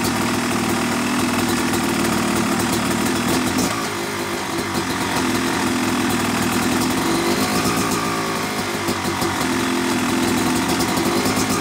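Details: Yamaha YZ250 two-stroke motocross bike (250cc/270cc) at start-up for break-in after a year-long full engine rebuild of bottom end, transmission, bearings, clutch and power valve, new seals; crisp busy idle with gentle blips, no misses or knocks; normal.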